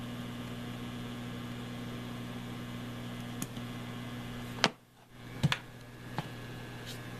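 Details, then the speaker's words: Cheap universal laptop power adapter, heard through speakers turned up full: steady low mains hum with faint buzzy edge and handling clicks; noise lessens at 12 V, owner suspects the voltage selector switch; electrical hum. "See, now that's cranked up and it's pretty noisy. But that's right full blast. I can still hear it there though."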